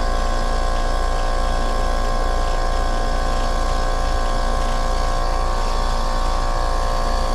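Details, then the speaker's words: Commercial R22 air-conditioning unit, refrigerant replaced with virgin a year earlier, similar problems again; compressor running with high pressure switch bypassed, high head pressure, low suction, compressor hot; steady hum with pulse about three times a second, sounds rough; abnormal compressor noise, cause not confirmed. "well I don't suspect that compressor sounds odd though"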